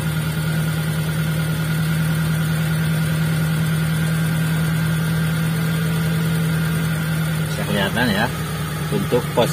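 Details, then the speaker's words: Fuel-injected T120SS, before ISC cleaning: steady, even idle hum that stays high at about 1100–1200 rpm and won't settle; high idle, slow to drop, attributed to a dirty or faulty idle speed control (ISC) valve. "rpm nya tertahan di angka kurang lebih 1100 atau 1200 RPM ya"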